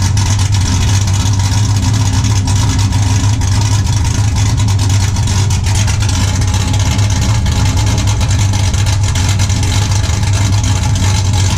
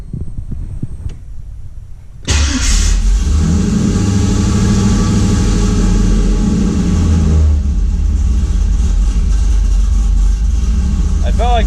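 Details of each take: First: 5.3 LS-swapped 1991 Z28 Camaro, TSP cam, Holley Sniper EFI, muffler deleted to 3-inch straight two-into-one dump before rear axle: loud, deep, steady rumble with slightly choppy beat at idle; healthy cammed V8. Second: 5.3 LS-swapped 1991 Z28 Camaro, TSP cam, Holley Sniper EFI, open exhaust, warm: engine catches and flares to a high lumpy idle, dropping back after about five seconds; warm-start flare while IAC hold/decay times are reduced.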